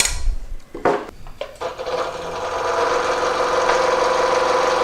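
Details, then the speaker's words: DeWalt 788 scroll saw after replacing the stripped upper blade chuck thumbscrew assembly and squaring the blade to 90°, cutting into a 2x4: steady, even buzz through wood with no knocking or chatter; normal smooth cutting. "nice and smooth that will do right there"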